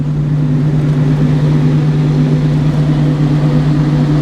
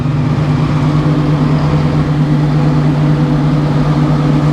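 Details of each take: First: Sawmill engine at startup, just before sawing an oak log with a new sawblade: steady low drone that stays flat and doesn't climb; motor slow to come up to speed. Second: Sawmill engine running at speed before sawing an oak log with a new sawblade, after being slow to come up to speed: steady even low drone holding one pitch, no surging or knocking; running cleanly.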